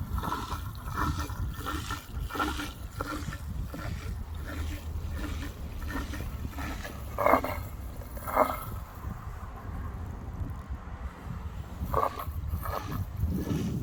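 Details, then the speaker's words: Old Beko washing machine drain pump run outside, lifting gravity-fed water up against gravity: rhythmic low gurgling surges about twice a second as water falls back in the pipe, normal drain pump pulsing. "So you'll recognise the washing machine, that characteristic pump noise, because it's basically water that's going so far up that it can't back feed water to continually push it through."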